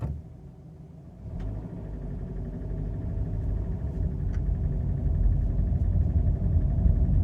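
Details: Subaru FB25 flat-four, cold idle: steady rumble with even tapping knock underneath; knock present about 20,000 km, cold and hot, also clearly heard when selector in D or R; cause unknown.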